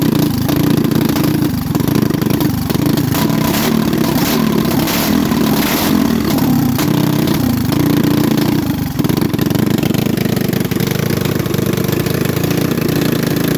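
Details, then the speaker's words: Manco Thunderbird minibike single-cylinder after reassembly with new spacer, just started: buzzes at fast steady idle that never drops; high idle, owner suspects intake manifold leak getting too much air, plans new gasket. "I forgot we got that manifold leak. We're going to put another gasket. That's probably why it's idling up. It's getting too much air."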